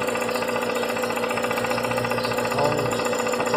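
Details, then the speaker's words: Volkswagen Gol with CHT engine, valves already adjusted: steady tick about four per second over the running engine, thought to be valves but located at a loose clutch bracket/support; ticking noise. "o barulho é aqui ó nesse suporte da da embreagem tá vendo ó ó a gente acha que tá com batendo válvula o barulho é aqui ó no suporte da embreagem"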